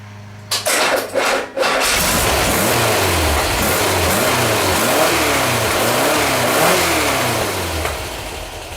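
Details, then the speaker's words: Freshly rebuilt Type 4 engine with new dome-top pistons, gapped plugs and new plug wires, holding good oil pressure: a few starter bursts, then catches and settles into an even idle with smooth revs; owner suspects weak starter; normal running. "it fired up really good I want to give you all a uh a shot of it it's holding real good oil pressure I'm I'm really happy with it so far"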